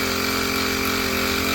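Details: New HTP power sprayer, 4-stroke 35cc petrol engine, spraying water through the gun on a 15 m hose; steady high-revving buzz with pump whir and water hiss, even and unbroken — normal running under load.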